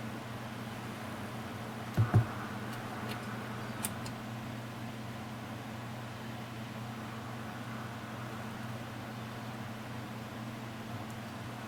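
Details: Koolance TMS-200 fan/pump controller after the cold-boot beep fix, testing fan and pump headers: only a quiet, even fan hum with a couple of handling knocks and relay clicks; no beeping, runs normally.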